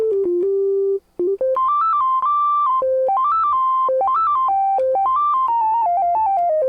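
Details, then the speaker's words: 1974 Minimoog after restoration, self-oscillating filter played with tracking one only, tracking two only, then combined for full tracking: clean, steady, in-tune tones step with every key; filter tracking working correctly after repair. "here it is with tracking one only here's tracking two only when they're combined you get full tracking and there's your filter so that's filter is working fantastic"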